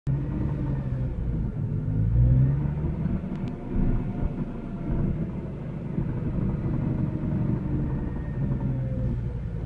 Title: Rattling or deep ticking noise from exhaust